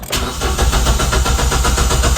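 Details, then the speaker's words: 2015 Kia Picanto manual, no start: starter spins the engine at a strong even rate with no firing; good crank but no start, scan shows no engine codes; traced to a leaking fuel pump O-ring. "Good crank kaso ayaw umandar. Ayaw magtuloy."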